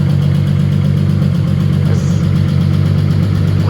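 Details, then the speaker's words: 1993 Acura Legend LS 6-speed coupe project car, second start after being saved from scrap, running without an alternator: smooth, even low rumble at a steady idle with no misses or knocks, a strong-running motor. "this sounds good though it's a strong running motor"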